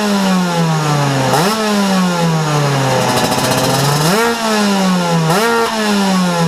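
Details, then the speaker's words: Vespa two-stroke with Ignitech DC-CDI-P programmable ignition (Piaggio Typhoon 50cc rotor/stator, Malossi coil), switched to curve mode A; short revs rise and fall but stop short of full revs because engine not fully warm and running slightly rich. "Donc voilà, bon, on n'entend pas super bien au niveau de la prise de tour parce que là le moteur il est pas complètement température et il est un peu grassouillé, donc du coup il prend pas complètement ses tours"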